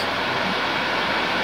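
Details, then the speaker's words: PS4 Slim with an overheating problem, before disassembly and cleaning. Loud, even rushing whoosh with no pulsing or rattle as the fan exceeds its normal speed at top speed; an overheating message is expected shortly. "exceeding its speed and it is on top speed now after a short while it will give a message of overheating"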